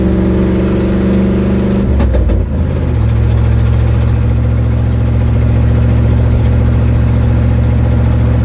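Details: 1972 Ford Mustang driving home, phone in the dash, before repair: engine pulls up through the revs, then settles into a heavy, uneven low throb with a raspy puffing edge, from an exhaust leak.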